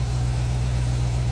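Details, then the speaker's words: 2016 Dodge Charger running once finished: deep, steady, even rumble with no knocks or misses; engine seems to be running pretty good. "she seems to be running pretty dang good I will give it that she sounds very good"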